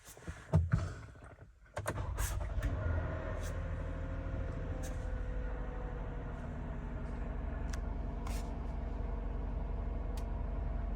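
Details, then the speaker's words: 2013 Toyota Sienna Limited V6, idling, recorded from inside the cabin: steady drone with a faint constant whirring from the front of the engine compartment, a failing water pump bearing, replaced along with the idler pulley and serpentine belt. "then now i heard a different noise from the front of the car inside the engine compartment and after some research i found out that this is a common problem with the toyota and lexus v6 engine and that is the bad water pump"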